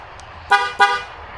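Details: 2019 Ford F-250 with 6.2L engine, after horn diagnosis and installing a new horn assembly: two short, loud toots with a clear, steady tone. The horn works properly.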